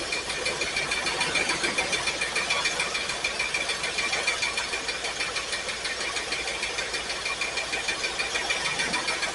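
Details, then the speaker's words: Pontiac Firebird with carburetor, first start after fueling: an uneven, loping idle with a lumpy beat about three times a second. Rough idle misfire; number 8 cylinder is dead and another is only partly firing. "That one's contributing a little bit. It's not great, but that one's firing. This one's dead. This number 8 is bad."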